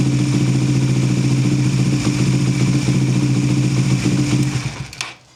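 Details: Suzuki GSX-S150 single, cold start after timing chain tensioner adjustment: catches and settles into a smooth even low idle with no ticking before cutting off; the earlier tick is gone, sounds healthy.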